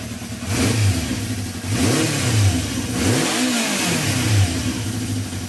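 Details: Honda CB350 after carb cleaning and balancing, choke off: clean rev blips rise and fall smoothly with no popping or stumble; carbs well balanced, engine pulls evenly.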